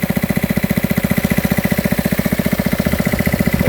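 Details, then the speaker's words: Gold dredge pump's small single-cylinder engine with fresh gas following nine months of storage. A quick, even firing beat with steady pitch and no misses or knocks. It runs smoothly and healthy. "everything looks good runs fine try out on screen can't wait to use it"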